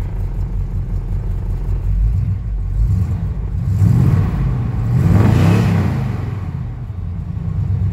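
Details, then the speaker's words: 1975 K20 plow truck, unstarted since November, about 22°F, primed then idling at 30 psi oil pressure with temp barely rising: deep engine revs up and falls back lumpy and uneven; rough running when cold. "that didn't sound very happy but whatever"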